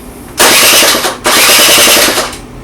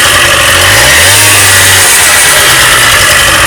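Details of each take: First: Honda Dio 27 scooter with compression, spark and a wet plug: two short starter cranks of about a second each, never catches; no start because the fuel pump isn't pumping, so the pump is replaced and the carburetor cleaned. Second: Honda Dio 27 scooter after fuel pump replacement and carburetor cleaning: the small two-stroke buzzes loud and steady, blipping up and settling back without stumbling or missing, so it runs normally.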